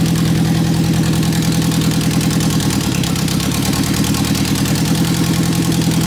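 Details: 1991 Eagle Talon TSI AWD at its first-ever startup after a new fuel pump, having sat three or four months: steady, even idle with a smooth low drone and regular firing pulse; healthy.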